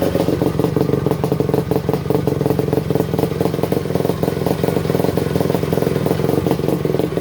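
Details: 1973 Yamaha MX250 two-stroke on its first startup after a rebuild: crisp, rapid popping that stays even and strong. It fires cleanly and runs healthy.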